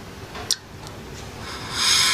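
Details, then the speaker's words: Toyota Hilux 4WD free-wheeling front locking hub, tested by hand after front disc rotor and pad replacement: one crisp click as the hub is turned to free, drive shaft disconnects, then light hiss; hub disengages cleanly and works fine. "And did you just hear that click? that is now disconnected. Okay, so that hub is working fine"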